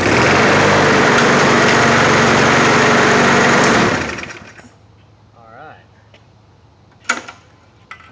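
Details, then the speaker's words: Cold Briggs single-cylinder MTD push mower engine, sitting about a year and a half, fresh gas, worn pull cord, no priming: fires on the first pull and runs steady and even for about four seconds; healthy. "Pull cord's a little bit worn out. But that freaking thing runs. First pull after about a year and a half of sitting with fresh gas."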